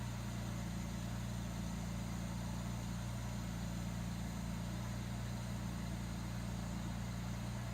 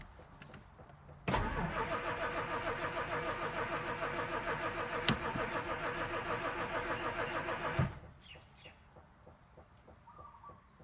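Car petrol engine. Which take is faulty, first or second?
second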